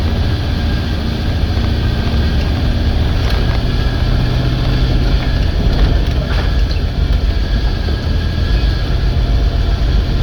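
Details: 1989 Chevy C60 school bus conversion, fuel system fixed with new fuel pressure regulator and inline filter, idle adjusted: steady deep rumble on an uphill pull with no bogging, backfiring, popping or surging; engine pulls clean and healthy.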